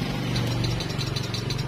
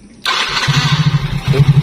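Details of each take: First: Yamaha Mio J scooter, starter button pressed: rapid dry clicking, no spin from starter motor. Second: Yamaha Mio J whose starter only clicked, after the starter motor and starter switch were refitted: fast, even cranking for about three and a half seconds with no clicking; the starter now works normally, though the engine won't idle.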